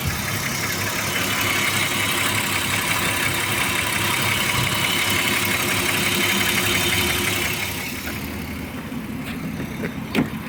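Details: BMW E34 with M50B25 engine at idle: fast light ticking at about three per second rides over a steady idle from the top end. Hydraulic lifter tapping.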